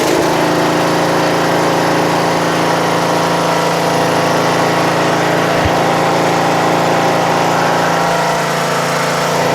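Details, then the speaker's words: Toro Wheel Horse 825 Recycler riding mower, Briggs 8 hp, after new battery, carburetor replacement and throttle linkage fix, started on choke: even, steady single-cylinder putter with no misses, surges or knocks; normal running. "Sounds great! I'm going to put it all the way to the lowest idle."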